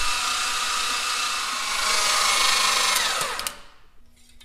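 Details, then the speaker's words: Rebuilt forged twin-turbo Mitsubishi 3000GT VR4 6G72 oil priming on a fresh battery, plugs out: fast even starter whir spinning freely, then winding down; cranking speed healthy. "all right i got the listing on battery hooked up to it it's been a lot faster"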